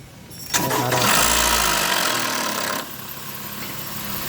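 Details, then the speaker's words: 2020 Honda Odyssey cold start during oil change, previously noisy engine: harsh metallic rattle as engine catches, fading within seconds into steady idle; timing chain rattling before oil reaches the top. "Yung unang ingay na yan kasi ano eh. Yung langis wala pa yung makyat ko. Kaya tumunog yung timing chain."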